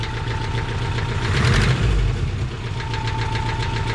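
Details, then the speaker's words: Subaru Brat engine with a blown head gasket and heavy smoking, at idle: steady, sharp chattering knock of about three to four raps a second over a thin whine; rod knock suspected, not confirmed. "but but that ain't the worst of it oh I'll let you hear it that sounds like a nod rocket to me"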